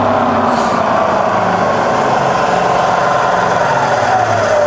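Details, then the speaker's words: Bridgeport milling machine converted to 240V single phase, variable speed head in high range: smooth steady whir climbing from about 500 to 1000 to 2000 rpm, no knocks or grinding; spindle running normally. "now you're just going up and down the spindle range just to let you hear it running that's really about 500 rpm that's a thousand and that's up to two thousand"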